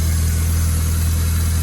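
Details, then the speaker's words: Ford Escort Cosworth at idle after a new timing belt and tensioner fit: steady low drone with a faint whirring hum from the belt; owner suspects it is too tight and plans to back the tensioner off. "Yeah, this belt, I'm not digging it one bit, man. Not digging it at all. It's making that noise in it, so I'll probably have to just back that off a bit."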